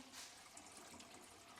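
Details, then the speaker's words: Sink plumbing test: the filled sink is unplugged so water rushes through the P-trap. A steady hiss and gurgle with even flow and no dripping or leaks; the drain is working properly. "You can hear the water going through. Pretty good. Really good. In good shape."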